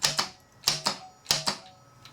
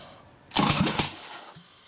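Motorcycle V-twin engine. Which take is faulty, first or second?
first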